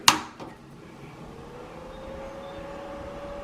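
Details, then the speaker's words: Mr. Heater Big Buddy propane heater, battery blower running on four D batteries: a sharp switch click, then a faint, steady low hum from the small fan spinning evenly with no rattle; normal. "can hear the blower running little blower"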